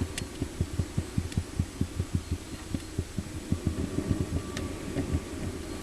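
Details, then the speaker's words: Wood pellet central heating boiler after reinstalling the repaired burner head, just started: low soft throb pulsing about four times a second over a faint hum; normal combustion fan running. "can just hear the fan there I'll just open the gate"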